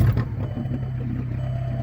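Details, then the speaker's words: Turbocharged stick-shift car after a highway trip: loud, deep raspy drone far above normal, turbo more audible, exhaust cut off underneath right behind the driver's seat; broken exhaust pipe. "Oh yeah, that's loud and obnoxious. You hear the turbo, but a lot better, but you can also hear all the other droning noise, which gets on your nerves after a while on the highway."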